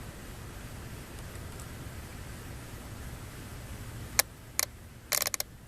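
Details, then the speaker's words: 1995 Mazda 626 2.0 with code 332 (insufficient EGR flow), EGR system solenoid powered directly: quiet background, then sharp single clicks each time power is applied; solenoid switching normally. "hear it so that one's working unless I just fried it"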